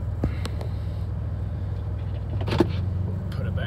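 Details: Chevy Impala project car after a drive axle fix, standing in park and warming up: a smooth, steady low engine rumble with no howl or squeal from the rear; rear bearings good, normal idle with no brake noise.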